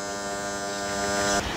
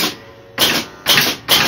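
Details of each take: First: Gottlieb Royal Guard pinball during a score reset after repair, reset motor switch 1A had been too widely gapped; steady electrical buzz, then scattered clatter; an alternating relay making noise, may need a look but barely heard with glass on. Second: Gottlieb Royal Guard pinball scoring one point, game has no bells fitted; three crisp, even mechanical clacks about half a second apart, the match unit stepping normally.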